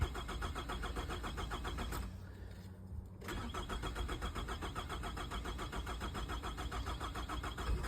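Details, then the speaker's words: 2006 Nissan Altima with good battery voltage and a cylinder 4 misfire code, traced to a poorly contacting ignition coil: the starter cranks at about four even beats a second, pauses, then cranks again without catching. No start. "Okay. So yeah, as the customer stated, it won't start."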